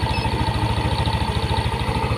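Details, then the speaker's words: Yamaha NMAX first-generation scooter at a warm idle. A JDiag M200 scanner reads 1500–1600 rpm, fluctuating. It makes a quick, even single-cylinder putter with no misses, knocks or rattles. Normal idle. "rpm-nya terbacah di sini tuh 1500 1600 naik turun ya"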